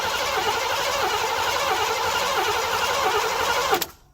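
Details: 1987 Mercury Grand Marquis LS abandoned since at least 2017, fresh gas added: starter churns steadily about four seconds, engine never fires; cranks but won't start, fuel delivery suspected.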